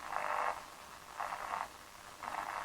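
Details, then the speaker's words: Ingelen TRV111 Austrian AM portable radio from about 1959–1960, under repair: three half-second bursts of harsh buzzing over background static as a nearby LED overhead lamp is touched, showing AM interference sensitivity. "That's just me touching the light. You can see how sensitive it is to radio interference, and of course that was one of the main issues with the old AM radio."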